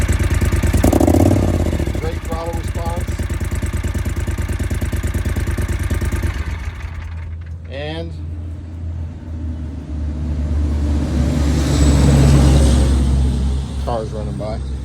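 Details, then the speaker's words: 2012 John Deere Gator 625i V-twin, 200 hours, after adjustment fixing erratic surging idle: even, steady idle at about three beats a second, crisp clean revs settling back smoothly, no overheating. "uh good throttle response uh good idle um don't overheat or anything uh it runs perfect"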